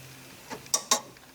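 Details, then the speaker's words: 1972 Corvette horn circuit, heard near the horn relay: pressing the horn gives only sharp relay clicks and no horn tone. Fault was a bad horn relay, which was then replaced. "I push the horn, and I get nothing except clicking at the relay."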